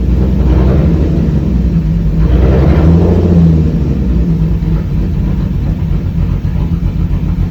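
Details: Lexus IS300, sat about two months with a dead battery: rough, stumbling idle with a brief rev blip. Misfire because two coil wires were pinched by the throttle body during a spark plug job; later resolved.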